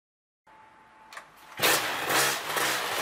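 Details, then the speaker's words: Polini THOR 250 DS two-stroke ultralight aircraft engine, low-speed mixture screw set lean by 5 degrees (about 1/12 turn): fast, buzzy, uneven high idle about 2,800 rpm, quits when throttle advanced quickly; lean low-rpm mixture, remedy is unscrewing low-speed screw. "the engine idles about 2 800 rpm and quits when the throttle is advanced quickly this indicates that the mixture is lean at low rpm"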